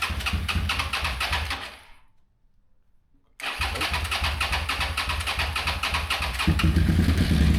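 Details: Suzuki SV650 V-twin with an electrical fault, stator or regulator suspected, started after fitting a new battery; even lumpy twin beat, a short pause, then it fires straight up and settles to a steady idle; starts normally.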